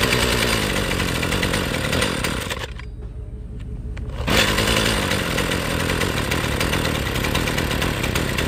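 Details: Husqvarna string trimmer off choke at full throttle: screams at high revs then sags sharply for over a second before catching again; dies at full throttle, cause unknown.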